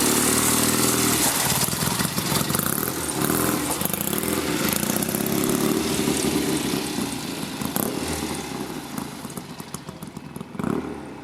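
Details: 1972 Triumph Tiger 650 twin, long parked, after cleaning and adjusting the Amal carburetor and setting the points gap: twin thumps near four beats a second, slightly lumpy but settling into a steadier idle; on its way to idling properly again.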